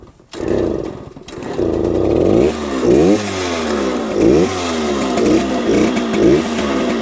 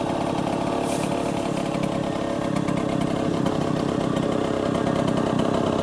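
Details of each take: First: 1966 Harley-Davidson Aermacchi M50S two-stroke, owner thinks it runs rich and shut off the fuel to burn fuel out of the carburetor: lumpy, popping idle about once a second, nearly stalling; rough idle. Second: 1966 Harley-Davidson Aermacchi M50S two-stroke after the idle was dialed up a little: steady, even buzzing idle with no stumbling or surging; normal idle.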